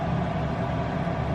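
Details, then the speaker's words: Diesel heater in a van in subfreezing Alaska (12–18°F outside), running after a slit fuel line that was probably sucking air was found, following E08/E10 errors; temperature at 100–104. Steady low whirring hum with a soft even roar, no sputter. Normal running. "But yeah, she's up to 100. Nice. 102. It's at 104 now."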